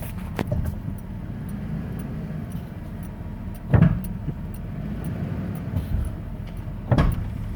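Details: 1994 Ford F-150 4x4 with TTB and lockout hubs in free, mostly in reverse going downhill: quiet rolling broken by two sharp, heavy clunks about three seconds apart as the brake is released; cause unknown.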